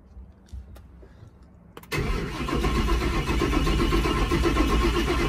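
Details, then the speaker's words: Built turbo Mustang, first start after engine build, after fixing a fuel pump wiring fault: starter spins steadily at an even beat but never fires while fuel is still filling the empty lines. "So there's like no fuel in the lines or anything, so I'm just trying to let it get some fuel up there."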